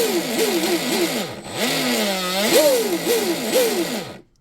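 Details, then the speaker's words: Pro Boat Veles 29 with Speedmaster 21 strut, upgraded stuffing tube, .187 flex cable, SSS 4082 2000KV motor and Castle Cobra 8S ESC: loud metallic drive-line whine rising and falling with throttle, metal-on-metal without a Teflon liner, normal; no cable whip or vibration, warm not hot. "Little loud. Cuz this is metal on metal, right? If it was a teflon liner, it would be quieter. This is normal. It's normal. No cable whip, no vibration."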